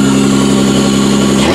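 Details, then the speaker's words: 1992-1996 Toyota Camry V6 running on a homemade standalone harness, terminals just tightened, air intake fitted, no key, in drive: steady clean held rev dropping smoothly toward idle, no knocks or misses; sounds really healthy and runs. "That thing sounds really healthy. Well, guess what? It runs!"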